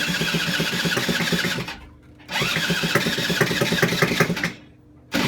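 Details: Honda SH50 City Express moped, first start in 9 years on a replacement rebuilt engine, no exhaust fitted: loud raspy two-stroke crackle revved in short bursts with quiet dips; runs rough, owner suspects it is sucking in air somewhere.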